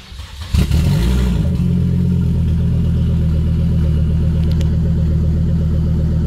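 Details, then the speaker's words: Volvo V70R restarted after fuel system work, fuel pump heard priming, previously running very rich and dying: engine catches, blips once, then holds a steady even idle without stumbling; throttle responsive, seems fixed. "Okay, throttle's responsive. It's auto normal. I think that might have fixed it."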